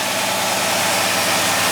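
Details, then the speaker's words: 1962 Oldsmobile Starfire V8 after a cold start: even, steady idle at a constant level with no misses, knocks or ticks. Runs very smooth with no smoke from the engine; healthy normal idle. "Cold start wasn't too bad. Alright, take the mask off so you can hear me. Didn't see any smoke or anything, as you mentioned."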